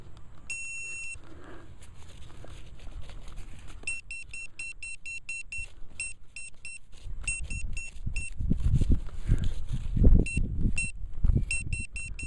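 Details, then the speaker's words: Velox 1 metal detector in a park gives repeated high beeps in short bursts over dig noise on a target in the lifted plug; it turns out to be a small piece of aluminum tin-can scrap about 5 inches deep. "Okay, we're up top, guys, in our plug, or in our lid, so I'm thinking we're probably a little bit smaller of an item, probably a piece of aluminum scrap."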